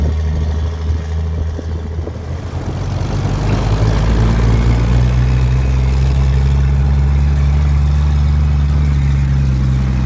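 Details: XR Ford Falcon ute, last registered 1982, revived after years in a paddock, running under its own power: deep chuffing idle with heavy, uneven low rumble settling into a lumpy beat; rough running, cause unconfirmed.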